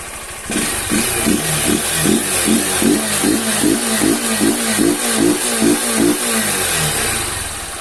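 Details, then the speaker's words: Honda CG 160 Fan, 6,000 km, bought new: after home valve clearance adjustment, loose valve had tapped until warm; now steady single-cylinder idle with even low thump, no top-end tapping; normal idle. "Agora ela parece que ficou normal agora ó já parou já o barulho ó o barulho já ficou normal agora galera"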